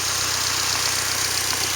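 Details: 1998 Mercury Mystique (Contour) 2.0 with 5-speed, 143,593 miles, rusty, at a salvage yard: steady, even idle, a light regular patter under a strong hiss, no knocks or misses.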